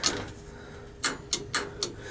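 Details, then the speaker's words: Gas boiler with Honeywell gas valve, thermostat calling for heat, pilot lit, 24 volts present: sharp irregular clicks with no burner roar as the valve clicks but never opens; bad gas valve, replaced. "It's just not firing. I did check the gas valve. Hear it clicking? Yeah. Pilot is on, so we know it's a bad gas valve because I checked."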